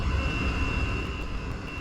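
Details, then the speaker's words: Chinese diesel heater with air inlet restricted by tape, temperature just reaching about 200: low, wavering burner rumble under a thin steady whistle, weak and choked; little heating air from the vent, sounds close to flame-out, cause unconfirmed. "one problem with this is that there's not very much uh heating air actually coming out of the vent out of here sounds like it's gonna flame out"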